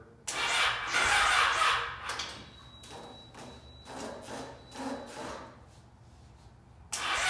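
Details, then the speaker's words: Yamaha FZ6 motorcycle right after fuel pump replacement, pump heard working, battery nearly dead: starter spins the engine in several bursts with fast churning but it never catches or fires; cranks but will not start. "Still not working, you guys. The battery is about to die. Oh, the motor is actually turning over."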